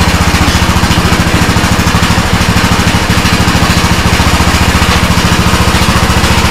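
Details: Custom-built Troy-Bilt riding lawnmower, bought on Marketplace, now running outside in park: quick, even single-cylinder firing beat holds steady with no misses or knocks; engine runs solid and healthy.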